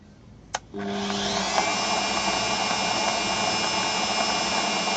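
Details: Bosch 1550W electric meat grinder (model FD 9006), after gear replacement for a motor that hummed but wouldn't turn the auger: a click, then the motor spins up to a steady, even whir with no labouring or grinding. Normal running after repair.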